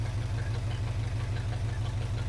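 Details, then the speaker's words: 1980 Chevrolet C10 V8 at its first start, idling through a loud exhaust with a deep, even burble, no knocking or misses, and running on all cylinders while the rockers are checked for oil. "nothing seems to come out right now but the engine sounds like it's not knocking or anything"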